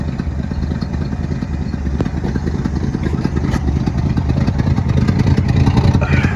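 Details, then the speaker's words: 1972 Ford F-350 bought at auction, old V8 idling: low lumpy burble with faint sharp puffs on one side; owner suspects an exhaust leak there, a donut gasket. "Sounds like maybe an exhaust leak on this side."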